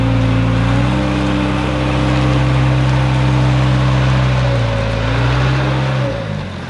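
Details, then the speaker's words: Old JCB 3C diesel backhoe loader started after 22 years: engine runs steadily, then its note sags and wavers as back actor and front loader are operated; hydraulic judder, owner suspects low hydraulic oil. "But I'll need a little bit of hydraulic oil, because you can hear the hydraulics juddering on the back actor and the front loader as you try to operate them."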